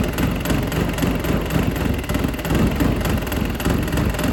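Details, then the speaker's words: Dodge Caliber SRT4 rescued after long outdoor storage, warm idle with radiator cap off: loose, uneven knock that grows louder. Bearing failure is suspected and the engine was hard to turn over. The coolant test stayed blue, so no exhaust in the coolant. "I think we got a bearing going on down I there. think so. I think that's why it was so hard to turn over with no pull pad. It's getting louder."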